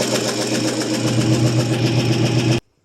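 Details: 1974 International 200 two-wheel-drive pickup, first runs after sitting about 25 years with a freed-up seized engine; ragged, unsteady idle with a light, fast ticking over the exhaust bark. Owner suspects dry lifters (typical International lifter click).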